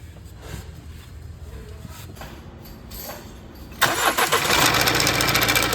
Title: BMW F48 RATTLING SOUND FROM ENGINE SIDE COMMON PROBLEM BMW